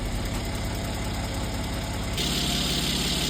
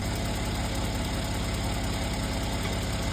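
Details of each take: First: Mercedes C43 AMG M276 petrol V6 after oil change to max line with MoS2 additive: smooth, even idle with no valvetrain ticking; previous lifter tick gone. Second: Mercedes C43 AMG with the M276 petrol V6 idling steadily: a light, quick ticking rides on the engine note, the common lifter noise from worn valve lifters/tappets.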